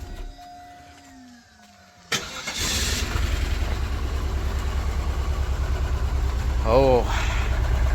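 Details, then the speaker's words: Low-mileage Cadillac STS with Northstar engine: it cranks and catches, then settles into a lumpy, uneven idle with a regular stumble; misfire. "listen to that old that old north star Miss back there nice"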